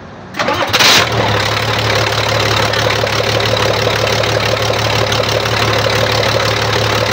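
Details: Weichai diesel engine after its injection pump was replaced under warranty and an injector was changed to cure backfire and a glowing exhaust: it cranks, catches within a second and settles to a steady, even idle. Runs healthy.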